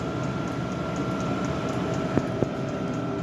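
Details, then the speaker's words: Diesel air heater fitted in the cabin of a Nova kit car, set low: steady turbine-like burner rush with a faint, slow, regular tick from the fuel pump; normal operation. "You can also hear the clicking of the fuel pump. It's a tick, tick, tick. And that is either fast or slow depending on what level the heating is set at. So if you turn it right down, the pump slows right"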